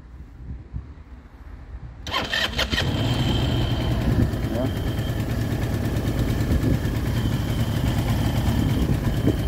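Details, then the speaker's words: Baotian BT125T-2 125cc scooter (GY6-type), long stored, after carburetor cleaning, new ignition, 12V battery and 50cc CDI fitted: catches quickly after a few cranks, settles to steady even idle; runs cleanly, though it still smokes. "so during this test run it didn't have any problem so it's running better and better the more it runs so I'm happy with it"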